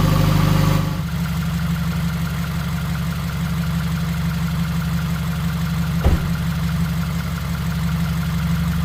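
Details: Subaru WRX 2.0 engine first start-up after replacing all valve shims, being run to open the thermostat and bleed the cooling system; settles into a steady, low, even idle with no ticking or misses.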